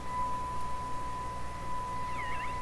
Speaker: False peak, right there. Then just above it, heterodyne noise.